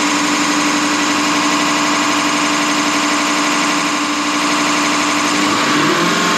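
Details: Deutz V8 diesel injection pump from a MAN KAT truck that had lost power (50 km/h max), cleaned and run on a diesel specialist's test bench; loud even clatter about four beats a second over steady drone; normal injection pump operation.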